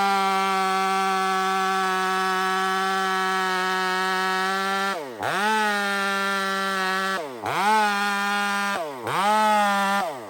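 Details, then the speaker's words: Stock chainsaw on 44:1 mix with aftermarket muffler fitted, cutting; screams at a steady high pitch, then bogs and recovers with each cut, sounding a touch fat; running rich. "this stock saw is running fat right now and I put that muffler on"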